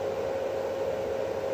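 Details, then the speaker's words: 1 kW 24 V solar inverter under repair for error 09, loaded to about 1.2 kW: cooling fans at maximum, steady even rushing whir with a constant mid-pitched hum; healthy full-speed fan operation. "Ух тугенько мабуть йому 1В кіловатному Да дуже тугенько обдув на максимум увалив"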